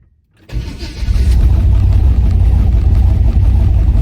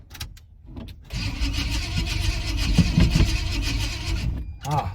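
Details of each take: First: 1980 Chevy C10 V8 after ignition timing retarded slightly (was too advanced) and battery charged. Quick crank, then it catches and settles into a deep steady rumble: starts cleanly and runs healthy, much better than before. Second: 1980 Chevrolet C10 Cheyenne, hot, on a jump box: starter turns the engine over for about three seconds with a steady low churn but it never fires; no spark suspected, crank no start.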